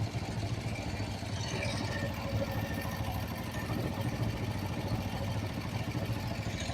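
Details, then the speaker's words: Kawasaki Vulcan 500 twin after valve adjustment, during carburetor synchronisation via the balance screw: warm low, steady, even idle with no misses or hunting; nearly in tune. "Venga pues vamos a arrancarla no está tan mal no está tan mal Mira"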